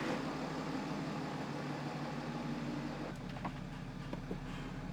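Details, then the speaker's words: BMW F11 525d diesel, first start after engine rebuild and reinstall: quiet, even idle with a soft steady rumble and no rattle or knock; engine runs healthy. "That's crazy how quiet it sounds."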